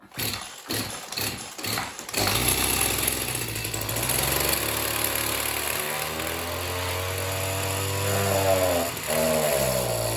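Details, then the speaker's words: Oleo Mac BC240 strimmer, assumed 24 cc two-stroke, after cleaning spark plug, warming up: slow pull-start puffs then buzzy running that surges and sags, never revving cleanly; suspected blocked tank fuel filter. "it fires up and it runs but it doesn't run great"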